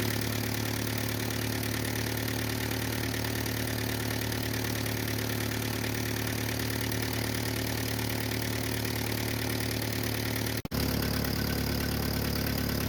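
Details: 1949 Ford 8N flathead tractor, auction buy, first start with unknown carburetor settings, timing and plug gap unchecked: steady even low idle, smooth putter, no knocks or stumbles; runs fine, possible exhaust leak at known leaking flange.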